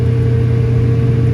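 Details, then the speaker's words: Restaurant kitchen hood exhaust fan on roof, switched on from below: heavy low hum with steady drone and no spin-up, motor straining; suspected bad sealed non-greasable bearings, switch also suspected, belt looks good. "Sounds like we got crap for bearings."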